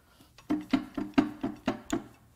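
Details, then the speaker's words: Ford Taurus SHO 3.5 EcoBoost V6 (FWD) turned over by hand before teardown: hollow clunk every quarter second and loose metal rattling inside; spun rod bearings and a broken timing chain guide found. "i am hearing things in there come in it actually sounds like something wants out we'll go all the way over oh man stuff is loose in there i cannot stress the importance of tightening bolts"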